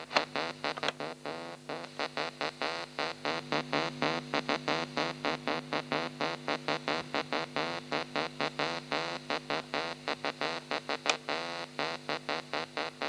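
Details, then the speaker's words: Pye 3214 cassette recorder playing music with slow, uneven pitch waver, very wobbly tape transport plus strange noises; cause not yet found. "yeah it's very wobbly"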